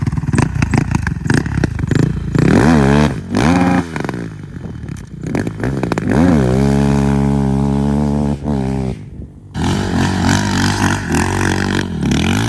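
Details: 2007 Honda TRX450 quad, by the owner's guess, single-cylinder: engine blips up and settles back cleanly several times with crisp throttle response and no knock; normal running engine.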